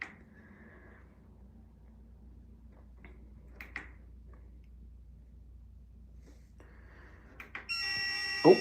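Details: New dishwasher in a new kitchen, while browsing setup options (water hardness, rinse aid, extra dry): one soft half-second beep against a quiet room, the normal key/setting tone.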